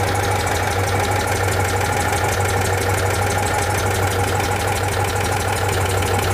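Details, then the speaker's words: Citroën 2CV with gearbox and engine oil just changed, after valve clearance adjustment: steady idle with light, quick tappet ticking; owner suspects clearances were set too loose. "I can start her up right here in the air start er up or that does sound a bit Tuffy maybe I went to loose"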